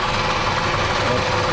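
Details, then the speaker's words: Toyota Camry 2.4 with engine rattle, VVT-i clutches first feared; belt tension varied with pry bar, noise disappears when loosened, most likely water pump. Steady idle with light, fast rattle over the engine note. Water pump bearing noise. "Звук есть. Ослабляю, звук исчезает. Звук есть. Предварительно это помпа. Ну, большая вероятность, что это помпа."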